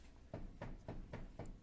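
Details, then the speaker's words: Subaru Impreza GC8 with odd handling, on a lift: six dull clacks as the steering is rocked, from play in the ball joint of the tie rod on the steering gearbox. "何が原因かと言いますとえステアリングギアボックスについてるタイロッドですねタイロッドのボールジョイントにガが出てしまっておりますはいありがとう"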